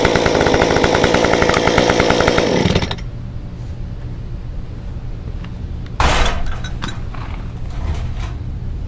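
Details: Stihl 193T climbing saw with muffler mod, ~8–9° timing advance, 93 non-E fuel, formerly idled high when hot; restarted after about 20 minutes sitting, crisp high scream drops cleanly to steady idle, then blips back sharply; runs and idles normally.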